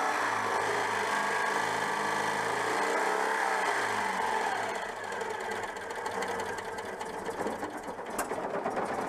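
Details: Citroën 2CV flat-twin after fixing an ignition problem, breaker points somewhat worn: runs steadily with an even, slightly uneven beat and no misfire; confirms the fault was ignition.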